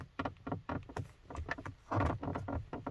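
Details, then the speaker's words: Car door trim panel squeaking from vibration while driving: short, dry plastic creaks in quick uneven bursts. The owner suspects its plastic clips rubbing where they snap into the metal door; oiling them fixed it. "я подразумеваю что это скрипят именно клипсы которая находится именно в этих дверных картах которые защелкиваются в металл и вот эти пластиковые клипсы трутся металл который дверки и создают такие вот звуки"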